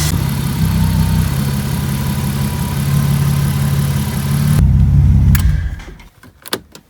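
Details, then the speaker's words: BMW E36 M50 petrol engine, cold start after maintenance that included work on the moving drive belt: steady, even idle with no squeal or rumble from the belt side; the former nasty idler pulley noise is completely gone, runs fine. "Il n'y a plus le bruit du galet comme avant. Il y avait un bruit dégueulasse. Là, il n'y a plus du tout."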